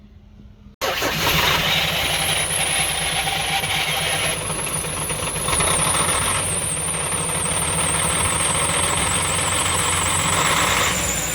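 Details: UD CK450 truck, Nissan PF6 six-cylinder diesel that suddenly began misfiring and stalling under load: cranks and catches into an uneven, lumpy run with a faint high squeal; misfire from injection pump plunger No. 5 delivering no diesel, one of six cylinders dead.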